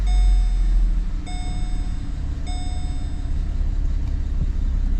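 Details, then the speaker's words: 2010 Holden Commodore VE SV6 3.6 SIDI petrol V6 idling steady and even after fuel injector replacement and refitting the correct new coil, three dashboard chimes over it; faint timing chain noise still present, chain due for replacement. "but yeah idling nice looks like we fixed the problem"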